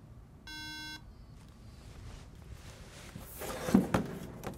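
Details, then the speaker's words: MacBook Pro A1286 that won't boot: single clear half-second beep at power-on, repeating every five seconds; Mac's RAM error beep code. "Khi bạn cố gắng bật nó lên, nó chỉ phát ra tiếng bíp một lần sau mỗi năm giây. Triệu chứng này thực sự là một chỉ báo từ máy Mac rằng có gì đó không ổn với RAM."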